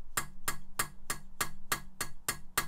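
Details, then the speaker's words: Mitsubishi 4G63 Evo cylinder head rebuild, lapping in valves: sharp bright metallic clicks about three a second from a valve on a seat not yet lapped, metal-on-metal, unlike the popping of a lapped-in seat. "so you know when these valves have been cut in properly because you get a noise change in the valve seat so you can see this side hasn't been cutting yet"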